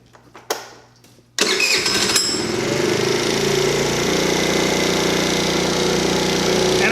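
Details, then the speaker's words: Tao Tao Pony ATM 50 scooter, 50cc GY6 139QMB engine, newly assembled, first start with auto choke: fast steady buzz at about 3,500–3,700 rpm, idle set too high; factory idle spec 1,700 ±100 rpm, later adjusted to about 1,750 rpm. "can see but we're running about thirty five hundred thirty seven hundred rpm"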